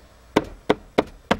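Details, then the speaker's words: Dacia Logan plastic B-pillar trim between doors, after foam sound-deadening, struck by fist: four sharp hollow knocks a third of a second apart; one spot still has play. "Și aici încă mai are un pic de joc o să o să dau din nou jos și o să o să mai fac și aici ceva"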